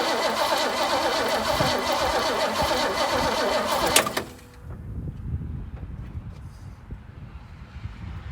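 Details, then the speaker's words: 1968 Mustang after sitting 8 years, new battery and fuel line bypassed from tank to pump: about four seconds of cranking at roughly 2.5 turns a second with no firing; owner suspects insufficient fuel, gummed carb or bad accelerator pump. "Okay guys, we got no noises coming, but I don't know if it's pushed enough fuel up there."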